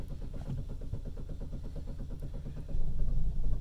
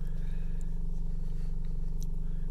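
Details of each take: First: Chevy Cruze, hot after about 30 minutes running, stalled then won't restart: starter cranks steadily about four beats a second, briefly seems to catch, no start; no trouble codes, cause found to be a poor ignition coil connection. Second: Chevy Cruze with intermittent stalling, restarting after a hot no-start: a steady, even, smooth idle with no misses or dips, running fine for now before stalling again like a key-off; the fault was later traced to a poor ignition coil connection.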